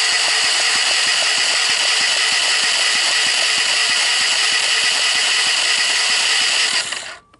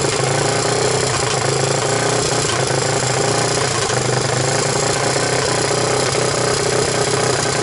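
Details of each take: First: 1998 Honda TRX300EX, non-starting, cranked on the starter during a compression test: fast even whir with light regular beats and no firm thumps; dry compression about 35 PSI, wet under 60; oiling intake valves restored 150 PSI. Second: 1998 Honda TRX300EX single, choke on with portable CDI box, running after oiling the intake valve seats to overcome low compression: loud, steady chatter at even speed with no knocks or misses; normal running.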